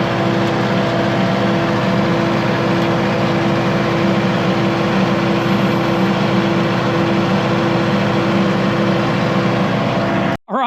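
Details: Kubota MX5100 (MX51) tractor after simple fix of PTO not engaging: steady, even low diesel drone at constant speed with smooth hum, no knocks or squeals; runs healthy, then shuts off.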